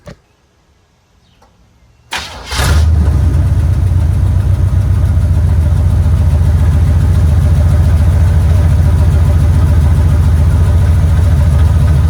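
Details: 1970 Impala V8, first start in four years on battery charger with vacuum lines and heater hose plugged: cranks briefly, catches and settles into a steady even low idle; running fine.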